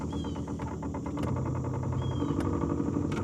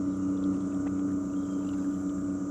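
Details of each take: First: New Minn Kota Endura 30 lb thrust 12 V trolling motor on 100 Ah lead-acid deep-cycle battery, running in water: motor hum with rough pulsing thump about four times a second; smooth when run dry, vibration suspected from prop, not confirmed. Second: Shakespeare Sigma 14 lb thrust 12 V trolling motor, roughly 50-60 years old, run on high at about 2 mph: steady even electric hum holding one pitch without surging or grinding; running normally.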